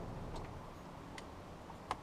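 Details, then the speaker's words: 1995 Dodge Ram 3500 dually, 5.9L 12V Cummins, stuck in a snowstorm: no crank, only light clicks from the anti-theft device, the last and sharpest being the starter solenoid; engine never turns over. With anti-theft removed, that last click disappears. "so that last click is the solenoid. So if I pull the anti-theft thing out and try to turn it over, there's not that last click."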